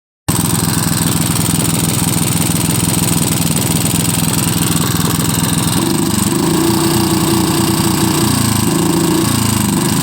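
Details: Lombardini IM 350 small single-cylinder engine chugging unevenly with wavering, lurching revs, rough idle and poor acceleration; no vacuum leak, clean air filter, carburetor cleaned and inspected, cause still unknown.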